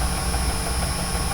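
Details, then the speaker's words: Motor driven by a frequency inverter, ramping up over its programmed acceleration time to 60 Hz, in a reversing setup with limit switches; a steady, even hum with a faint whine from the drive and no knocks. Normal running. "Então observe a sua rotação, ela levou esse tempo que foi programado para chegar nos 60 Hz. Então está ali o nosso motor funcionando bonitinho."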